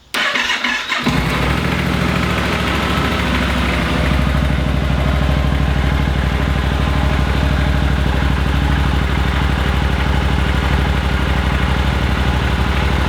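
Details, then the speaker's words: Yamaha Super Tenere twin: slow, deliberate cranking pulses, then it catches and settles into a steady, even idle. Normal start and idle. "so let's go ahead and start the bike so you can hear it run it's got a very slow starting pulse"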